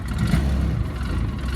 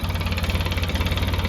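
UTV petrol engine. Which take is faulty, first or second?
first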